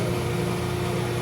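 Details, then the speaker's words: Heater circulation pumps inside a backup electrical substation that is started once a month: smooth, constant low hum with steady tone and no ticking or rattle; pumps running normally to keep the station warm. "If you can hear that noise, that's the sound of the pumps keeping this thing nice and warm."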